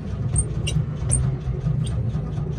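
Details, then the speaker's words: 1979 Volkswagen Type 2 bus, fuel-injected engine, fuel gauge below reserve: starter turns engine over evenly, about three turns a second, but it never catches; crank no start, owner suspects it is low on fuel. "I don't know if you can hear it back there but it's trying to crank over it's trying but to be honest that fuel gauge is below the R"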